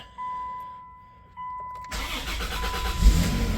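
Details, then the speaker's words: Mopar minivan, start after sitting roughly six months: quiet, then a brief crank and it catches at once into a steady low idle. A clean, quick start. "Fires right up. That was easy."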